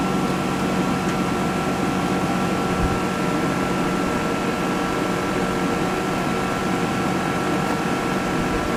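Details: Atwood/Dometic Hydro Flame RV furnace test after circuit board replacement (previously wouldn't ignite, water leaked inside): steady even blower rush with faint constant tone, no clicking, rattles or misfire puffs; lit and running normally.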